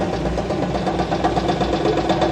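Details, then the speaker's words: 2006 Ford F-150 V8, 198,000 miles, oil drained, several cylinders dead (running on about five): rough misfiring idle with fast regular deep knock; one suspects a rod, unsure. "yeah it's fine no I I think that's a rod I don't know man"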